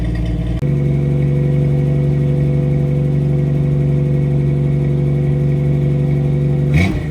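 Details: 1989 Jeep Wrangler YJ, 4.2 L inline-six, Weber 32/36 carb, new 2.25/2.5 in exhaust with Flowmaster 40 muffler and no cat: startup idle with an uneven, loping misfire; owner hopes new plugs, wires and an HEI distributor fix it.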